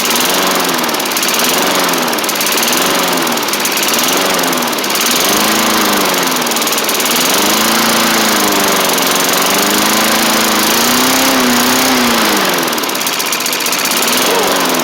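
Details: 1990s MTD Yard Machines push mower, old-style Tecumseh primer engine, first running on its own after revival; speed swells and sags every few seconds, hunting and rough, throttle still to sort out.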